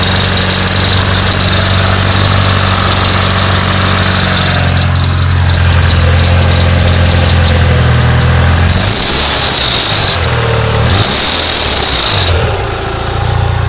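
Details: Mitsubishi Lancer Evo 9 GSR: a high, thin squeal over the running engine that comes and goes with revs, worse at higher rpm; suspected bad pulley, idler or AC compressor; accessory drive squeal.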